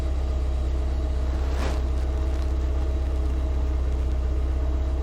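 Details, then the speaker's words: Classic carbureted car with manual choke warming up: choke almost fully off, idle down from 1,500 to 1,000 RPM, temperature needle entering normal zone; steady even low rumble, normal warm-up idle. "The choke is almost all off, 1,000 RPM. The needle is starting to move into the normal zone, and we're getting there now."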